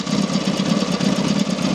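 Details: Rebuilt Matchless G12 twin (new crankshaft, conrod, main bearing), hot after road test; quick, even pulsing beat at idle, steady firing, no knocks or misses. Normal idle.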